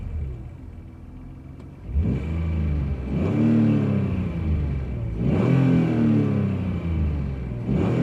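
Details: BMW E46 328i just after a new lightweight flywheel, engine blipped: light rattling clatter riding on the revs. Owner found nothing wrong with the flywheel, clutch, pressure plate, transmission or VANOS and thinks it sounds like a bad injector. Cause unknown.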